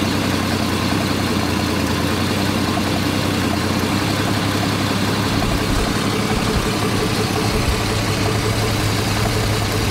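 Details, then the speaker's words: 1990 Jeep Cherokee XJ Renix 4.0 idling after loose flex plate bolts were tightened, which cured a bad knock: a steady, even low rumble with no knock or clatter; healthy idle after repair. "um sounding a hell of a lot better now that Flex Plate's bolted up"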